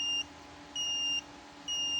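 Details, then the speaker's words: Photocopier sensor tester (digital sensor test tool for ER5000/Advance machines) with a good optical sensor: clear high beep about half a second on, half off, repeating evenly; goes silent when the sensor is covered, normal healthy response. "Nah, kalau yang bagus tuh normal tuh seperti ini. Ketika ditutup dia mati."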